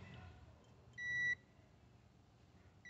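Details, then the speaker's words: Electrolux DC37 127 V cold-plate refrigerator that runs noisily but doesn't cool; relay and protector removed, multimeter continuity test across compressor windings gives a single clean beep, so the windings are intact, not open. "Dá perceber que o compressor tá com as bobinas normal, né? Não tá partida."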